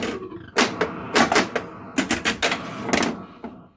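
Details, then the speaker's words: 1980 Bally Skateball pinball machine after changing the CPU sound option dip switch settings: background sounds restored, no chime tones, with irregular solenoid clacks and thumps from play; normal game sounds. "ah there's my background sounds now let's see if i got rid of these chimes there we go that's more like"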